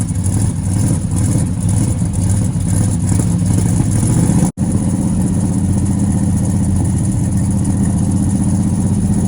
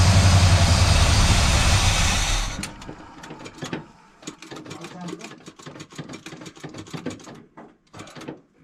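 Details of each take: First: Buick GS 455 V8 project car, with fuel gauge near empty and a starter about seven years old: steady, even idle with a smooth low rumble and no ticking, where it ticked before; oil pressure present but no charging voltage; normal idle. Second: Buick project car V8 (1971 GS with bored 455, 1970 GS 455, or 455 Skylark clone) on first start in six to seven years: runs roughly a few seconds then dies, leaving clicks; battery weakening, fuel gauge not working; won't keep running, cause unconfirmed.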